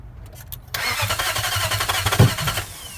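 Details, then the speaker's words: Nissan VK45DE swapped in ('03 replacing '02 with blown head gasket), cranked right after replacing the front camshaft sensor: starter churns about four beats a second and never catches, with an occasional small backfire; fuel pump not heard priming at key-on. "There it is. A couple backfires, like little light backfires every once in a while, and that's it."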